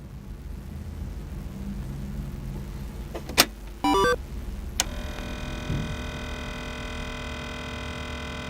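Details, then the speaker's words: 1986 Twin Famicom disk system (Mitsumi drive) with a disk inserted: a click, a short stepped chime, then a steady idle motor hum with no magnetic-head reading sound, typical of a deteriorated, broken rubber drive belt. "I can hear the motor running idle, but I cannot hear the magnetic head reading data. It seems that the belt has been broken in the example"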